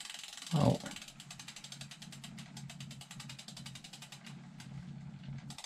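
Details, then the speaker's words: Cube Hybrid e-bike, over 3,000 miles: quick, light, even ticking about seven per second from near the motor while pedalling. Only the freehub ratchet is heard when coasting. Chain is dirty; source not yet found. "Can you hear that ticking? Tick, tick. But that sounds as though it's coming from the bike."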